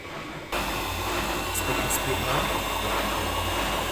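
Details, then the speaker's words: Old heavy Siemens German washing machine with suspended drum and concrete counterweights, spin cycle: steady high-speed hum with an even rush, no knocking; machine stays stable; normal spin. "so this happens after it's done spinning the pump will still run as it drains the water that was underneath the drum so that's why you've seen stopped spinning but it's still draining"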